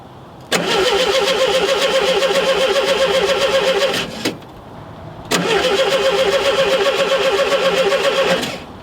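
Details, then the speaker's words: June 1972 VW Super Beetle, original and unmolested, cranked with a jump pack on a cold, windy day; two even starter chugs of about 3.5 seconds that never fire; points and condenser suspected, not confirmed: crank no start. "So I did go ahead and get this to turn over with the jump button. So let's see what this thing does."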